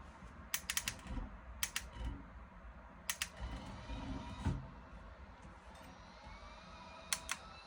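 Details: Brand-new Moza R3 bundle wheel base: short bursts of sharp rattling clicks over a low steady hum, with a faint whine rising and falling.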